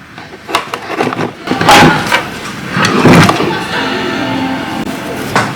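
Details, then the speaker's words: MacBook Air 2020 after repair of a dead board with no power rails, the fault traced to the TAS5770 audio chip: after some handling clicks, a soft steady startup chime plays for a couple of seconds; speakers working. "Yeah, hear the chime. So speakers are working."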